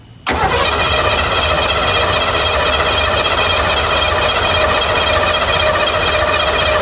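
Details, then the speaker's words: Converted van that sat abandoned for a decade: long steady starter cranking whir, no catch, while the fuel pump is heard running. Crank, no start; owner suspects no spark, not yet checked. "Try to crank it one more time and then we'll take the doghouse off and see if it's got spark. I hear the fuel pump running, but maybe it doesn't have spark."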